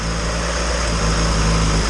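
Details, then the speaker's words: Turbo Honda engine just installed in EG hatch, first start on cheap break-in oil, not in gear; very quiet smooth idle, steady even hum, no slap or knock; small oil leak from turbo noted. "This thing fired right up. It is extremely quiet running engine. It sounds extremely smooth, so that is awesome."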